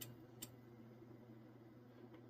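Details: 1990s–2000s two-transistor Motorola CB amplifier, about 200 W: sharp relay clicks over a low hum as it fails to stay keyed with too little drive (dead key), before setup to about 85 W.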